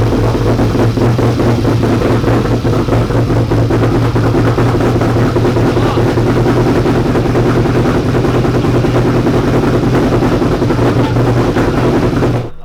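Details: 1992 Ford F150 prerunner, first start after a five-year build: loud, heavy idle with a slightly uneven loping beat and no clean settle; rough running, owners suspect fuel system issues with the regulator and fuel rails.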